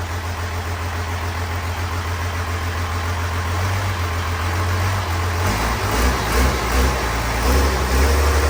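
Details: 12-valve Cummins diesel in a Grumman van, starter smoking: settles into a steady deep clatter at idle, then picks up cleanly on throttle blips; runs strong and even.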